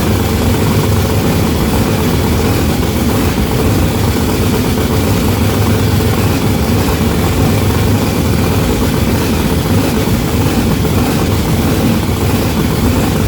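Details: Blown, mechanically injected big block on methanol, first start: loud idle with a rough, uneven lope and missing beats; front two cylinders not firing despite fresh plugs, new wires and a compression test; cause not yet found.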